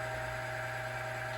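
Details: Lubricity test machine with BestLine Racing Diamond Nano-lube: load rising past seven to nine pounds; steady even motor hum and low drone, no squeal or grinding; normal running.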